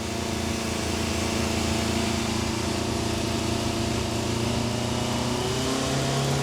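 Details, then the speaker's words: 1988 Yamaha FZ750 Genesis, fire-damaged, after new inlet rubbers and rebuilt, ultrasonically cleaned carbs. Choke out, high idle with small revs, smooth and even on all four cylinders for the first time in 9–10 months, no fuel leaks. "running. I cannot believe it. It is running on all four cylinders for the first time in probably 9 or 10 months since I've had this bike."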